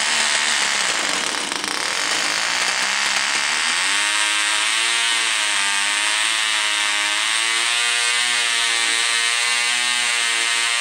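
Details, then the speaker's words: Vintage Cox .020 glow engine during needle adjustment: high buzzy whine climbs as rpm rises, then wavers up and down as the needle leans out; running normally. "And as soon as it turns on, you have to start closing the needle to help it get rich and fuel, and then the RPM starts to go up, and then it'll get a point that goes up and down. So then you start opening it."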